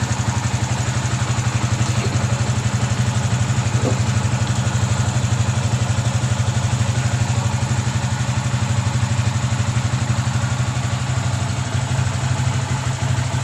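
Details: Yamaha Vixion after engine rebuild (block and piston were damaged from late oil changes, engine had been rough and noisy), radiator, coolant and oil refilled: smooth, even idle with no knocking or rattle. Normal idle.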